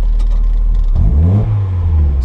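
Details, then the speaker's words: Mazda MX-5 Miata just converted to a standalone ME221 ECU, first start: steady idle, then a throttle blip rises with a slight stutter and brief hesitation before the revs pick up and fall back; possibly TPS-related, cause unconfirmed. "she's perfect to just stumble a bit but he's running if I'm gonna get long enough to press the accelerator looking at things or you can hear it you just stop a little bit"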